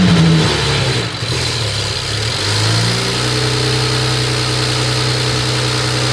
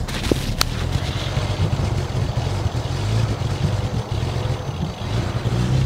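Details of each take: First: BMW 335i after misfires: starter turns, engine fires and settles to a smooth steady idle with no stumble; running normally. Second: BMW 335i with a known misfire that is worst on cold start: uneven, lumpy idle that sags and stumbles, sharp clacks early and loud injector tick; engine misfiring and dying, cause not confirmed.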